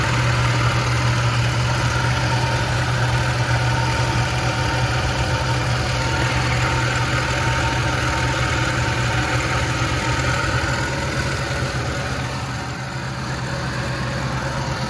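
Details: 1976 Lincoln Continental 460 big-block V8 with 41,000 original miles, idling: deep, steady, even low burble with no misfire or tapping; normal, settled, healthy idle.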